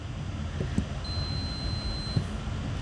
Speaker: then you go to the post and we should hear it go from a no beep to beat when we push down on the plunger